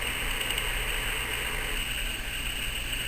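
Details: Uniden BC796D scanner on firmware 3.60, squelch on, yet a constant hiss and buzz comes through the speaker. The squelch fails to block P25 data-channel noise; the owner suspects the P25 system was changed in May 2011.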